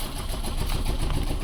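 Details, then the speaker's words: 2006 Chevy Cobalt with codes P0068, P0106 and P0300, with the MAP sensor unplugged and throttle applied. It gives a lumpy, uneven low rumble with stumbling beats and is slow and sluggish to rev; misfire, owner suspects a wiring harness issue. "now we have like a dead [Music] misfire let's see if we can give it some throttle and get it out of this misfire"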